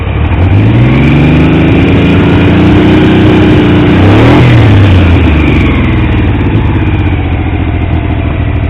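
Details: Triumph T150V triple after head and cylinders came off to stop oil leaks; started on the 2nd kick. Idles evenly, revs up and drops back smoothly, no knocks or misses. Oil pressure ~70 psi revving, ~40 psi under 2000 rpm; no leaks; normal running.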